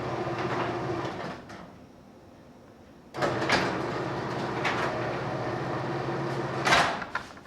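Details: Purple-button LiftMaster screw drive garage door opener triggered from a newly programmed Chamberlain KLIK2-U keypad: steady motor hum with the screw rumbling evenly for several seconds, then a soft thud stop. Normal operation.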